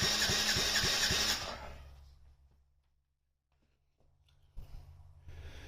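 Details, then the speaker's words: Yamaha Raptor 50 quad, compression test after rings found badly worn: about a second of brisk, even cranking near four strokes a second, reading 135 psi or more versus 90 before; healthy compression. "looks like we got all the way up to 13 five and that's just pushing it on with this not even with the uh you know the threaded type so looks like we're going to be good before we had 90 now we're at 135 if not more"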